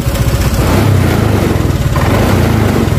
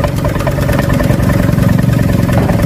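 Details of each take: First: Honda Vario Techno 125 scooter with cold stuttering, before throttle body cleaning: steady even putter whose idle speed rises gradually as the throttle position sensor is shifted downward, then stalls. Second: Honda Vario Techno 125 fitted with a smaller Vario/Beat 110 injector, jumpered with a 2 kΩ resistor: a low, slightly lumpy single-cylinder idle that keeps running without dying. It still feels a bit off when revved.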